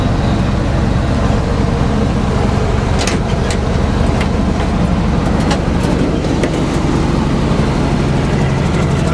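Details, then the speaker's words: 1948 Chevy 1-ton truck, 216 inline-six, at idle, heard at the exhaust pipe: low, even burble, steady beat, no knocks or misses; runs really nice and smooth, sweet-sounding healthy motor. "Very sweet sounding motor. Listen to that purr. Great sounding motor."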